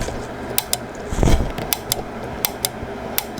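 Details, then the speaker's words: Sony TA-N77ES power amplifier missing its speaker selector switch, 40 V applied to the relay B circuit: crisp single clicks, some in quick pairs, over a faint hum as relay B pulls in normally; relay A does not pull in and is suspected bad. "you can clearly hear when I touch that it's coming in and let me do this so you can possibly see what I'm talking about"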